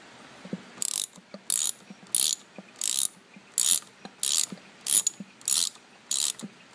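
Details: 2000 Honda Odyssey at idle: sharp metallic ratcheting bursts about one and a half times a second over a quiet idle, from a broken AC compressor clutch.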